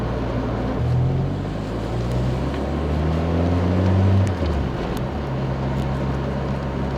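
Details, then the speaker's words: 1991 Citroen BX 1.4 with 81,000 km, back on the road after sitting 10 years, with the entire rear exhaust box missing: while driving, a deep, boomy, meaty drone swells and falls with revs, not very loud. "car is missing the entire back box of the exhaust system, but honestly, it sounds just fine with one. Oh, it sounds a bit meaty."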